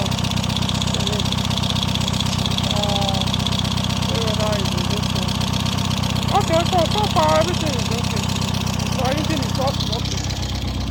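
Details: Peugeot engine after repairs for valve damage blamed on a low-quality head gasket, idling evenly at about four beats a second with no knocks, misses or hunting across eleven seconds; runs smoothly.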